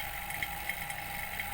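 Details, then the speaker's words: Daikin Multi S AC with refrigerant gone (earlier J9 error), vacuum pump on the line to the indoor unit: steady mid hum with uneven ticks about three a second, rough sound, vacuum drops again; leak confirmed on that line. "Sekarang kita buka, kalau suaranya kasar ya berarti dia bocor. Nah, kasar no. Kasar nggak? Kasar kan? Kasar."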